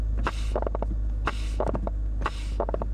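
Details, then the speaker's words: 2002 BMW E46 330i idling; each brake pedal press, hard or slow, brings a sharp hiss and short scrunching crackle with excessive pedal travel, a brake booster vacuum leak, not the vacuum check valve; booster later replaced. "you can hear the hissing and that scrunching when I push really hard or even when I'm pressing slowly you can hear and you can see that there's excessive pedal travel should not be doing that"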